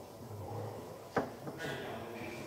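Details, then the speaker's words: Hyundai Grand Starex 2.4 petrol G4KG on a lift: sharp metallic click then a softer one as the worn rear anti-roll bar link is rocked by hand, noticeable play on both sides. "Стойкам стабилизатора заднего. Тоже хана, если видно, вот отсюда, если снять, и так прям болтается. Вон. И чувствуется прям как люфтит."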